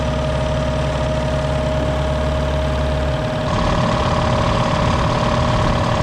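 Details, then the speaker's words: 60-gallon Black Diamond compressor with hammering factory pump replaced by Harbor Freight pump, 30-weight oil added: steady pumping thump about three a second under constant whistle, note changing as tank loads; pumps to about 120 psi, restarts near 100; normal. "there we go pumped up to about 120. it kicks back in about a hundred that should be all right"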